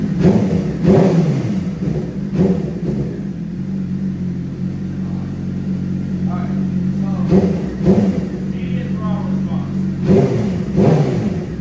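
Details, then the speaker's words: 2006 Suzuki GSXR 600, already warm, after a fuel pump replacement and priming: even idle that snaps up cleanly on each throttle blip and drops back without choppiness or the bogging and stalling it had before. "No choppiness. Sounds perfect. And you'll see the throttle response. He used to shut off and bo down."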